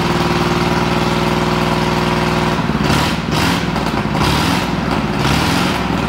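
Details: 1937 Ford flathead, 6-volt system, sat a year, 97 carb, running on battery alone: steady idle breaking into uneven stumbles and surges; missing intermittently, owner suspects low voltage, blowby noted.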